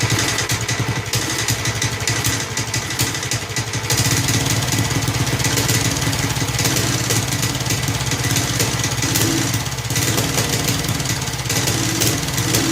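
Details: Snapper Hi-Vac commercial mower, around 1988, with Robin/Wisconsin engine, running after carburetor fiddling: steady, even single-cylinder chug at constant speed, no misses or surging; motor sounds good, though carburetor leaks and needs a kit.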